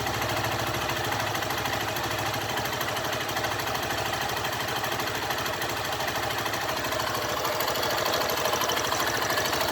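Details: 2012 Honda Fan 150 fuel-injected motorcycle: a busy, rattly mechanical clatter over a steady idle with a fast, loosely regular tick; the cause of the internal engine noise is unknown.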